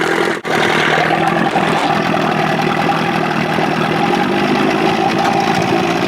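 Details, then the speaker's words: Evinrude 25 hp converted to 30-35 hp, on a Boston Whaler in the water with a new prop, holds a steady, throaty two-stroke burble at idle with no misses or rattles. It sounds throatier with the bigger carb and runs clean. "that to me sounds a little little throatier that bigger car on it"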